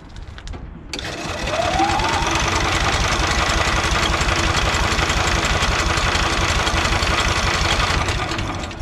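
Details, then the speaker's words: EZGO Workhorse golf cart repowered with Honda GX340, after carb clean, fresh gas and oil change, on choke with fuel on: starter churns steadily about three beats a second but never catches; owner suspects kill switch wiring or no fuel. Cranks, no start. "hmm doesn't start maybe i hooked up that kill switch wrong"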